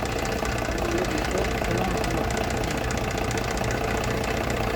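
Uneven knocking at roughly two or three per second rides over the idle, steady without revving; the source inside the engine is unclear.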